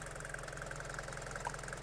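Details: Abandoned Mercedes diesel van after first start, coolant topped up from empty and holding, bonnet open: even diesel clatter at steady idle with no rough patches or misses; purring nicely.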